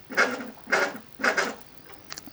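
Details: Stepper motor for an electronic leadscrew on a metal lathe, unmounted after fixing swapped power inputs to the controller: short buzzy whirring bursts of a few kilohertz, each about a quarter second; normal stepping and turning.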